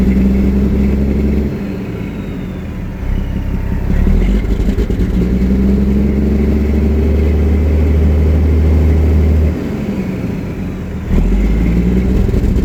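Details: Detroit 60 Series 12.7 diesel with a deep rumble that surges and drops unevenly every few seconds; rough running, suspected bad injector or water in the fuel.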